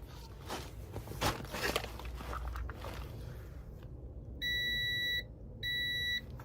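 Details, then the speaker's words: Honda VFR400 NC30 under restoration: two steady high continuity beeps from the meter show an unwanted short on the bike. The owner plans to remove the part and test it off the bike for an internal short. "still have a short here. Unless I'm reading this wrong, I'm pretty sure I'm not supposed to have a short here."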